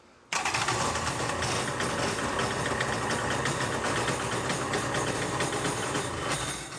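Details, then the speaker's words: Polaris SL 750 jet ski, two-stroke, after new cylinder fitted: engine catches at once and holds a steady, even idle with no misses or knocks; starts and runs properly every time, healthy running. "everything seems to be fine the thing starts up and and and runs perfectly every time you shut that door awesome"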